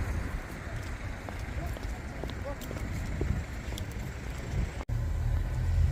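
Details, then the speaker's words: Jaguar XK cruising on a winter road trip after a wheel bearing repair: even low road rumble at steady speed with no rising or pulsing drone; the previous bearing noise is gone. "And the main thing that I'm really pleased about is the lack of droning noise. The horrible bearing noise is gone, which I'm absolutely over the moon about."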